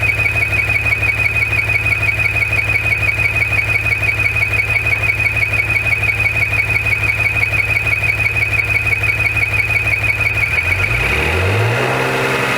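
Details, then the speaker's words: 2014 Maserati Ghibli SQ4, broken after 0-60 runs: steady high whistle over a smooth idle starting a couple seconds after startup, stops when the dipstick is pulled and returns when replaced; crankcase vacuum or ventilation fault suspected, not confirmed. "When I pull the dipstick, the sound goes away. This sound goes away. Put it back on, sound comes back."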